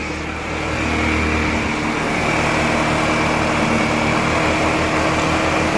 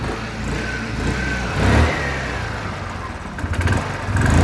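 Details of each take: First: Wolf EX-150 scooter, GY6 157QMJ 150cc four-stroke single, after repair work, carb primed: fairly loud but even idle with steady beat, no misses or stumbles; running normally. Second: Wolf EX-150 scooter, GY6 157QMJ 150cc four-stroke, hard to start, new spark plug fitted and idle screw turned up: starts but the idle sags and surges low, then dies.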